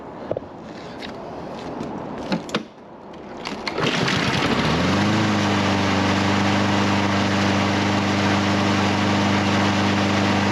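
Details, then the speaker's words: Husqvarna HU700F mower after carburetor work for a won't-stay-running problem; fires at about four seconds and settles into a steady, even hum with no stumbling; normal running. "Knock on wood, we got a good running mower."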